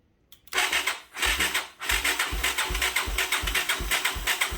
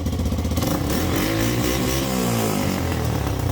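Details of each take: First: 1985 Yamaha YTM225DR Tri-Moto revived after 30 years, with spark and compression confirmed. Steady rhythmic cranking at about eighty pulses a minute that never catches; the carburettor float is sticking. Cranks but no start. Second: 1985 Yamaha YTM225DR Tri-Moto revived after 30 years, after carburettor work and idle adjustment: small single rattles along with an even beat and revs up cleanly, no miss or knock; sounds healthy.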